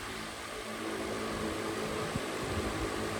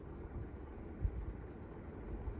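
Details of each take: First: Unitedstar 24-inch high-speed industrial ceiling fan on high speed: steady airy rush with a low hum, even and smooth; the earlier ticking is gone, suspected to come from a plastic nut. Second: Unitedstar 24-inch high-speed industrial ceiling fan on its lowest speed, making a light regular tick about four times a second over a soft hum. Cause unknown; the owner doubts it is the bearings.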